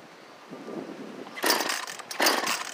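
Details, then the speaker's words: Echo CS-400 chainsaw after a carburetor replacement, choked: it fires and surges twice but sputters and falls back weakly instead of reaching full speed; engine bogging. "fire wow sounds like the high speed might need a little bit of an adjustment okay i started the saw and i turned the high speed counterclockwise about a quarter of a turn and it started to bog even more"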